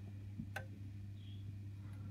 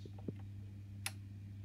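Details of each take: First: Honeywell programmer controlling boiler heating system: single crisp click as heating channel switches off; relay switching properly, though programmer can power only one relay at a time. Normal relay click. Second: Honeywell heating programmer: heating on gives one click, hot water on gives no click, heating off gives two near-simultaneous clicks, over a soft mains hum. The programmer relays are switching wrongly, a relay fault.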